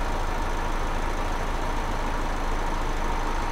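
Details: 2009 Chevy HHR 2.2L Ecotec flex-fuel, after fuel trim reset fixing incorrect alcohol-content reading (P0172, P0300, long crank): even, steady idle with low smooth rumble, no misses or knocks; trim about -9 versus -19 to -22 before; normal idle.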